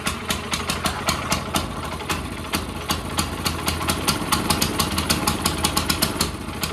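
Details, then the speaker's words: CT200U minibike after the Stage 1 kit and cone filter install, once its earlier smoky, rough running has settled: a steady idle with crisp, evenly spaced beats and no stumbling. Sounds significantly better, a normal idle. "That sounds significantly better. Let it sit, kind of get its mind together."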